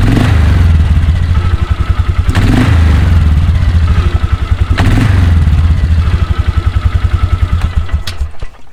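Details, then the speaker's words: 2004 Polaris Sportsman 400 after drive belt replacement, running with clutch cover on to check for rubbing; even single-cylinder putter at steady idle, no rubbing, squeal or rattle from the belt drive, runs clean. "i'm gonna start up the machine one more time with the cover on just to make sure nothing rubs or makes any weird noises before we continue"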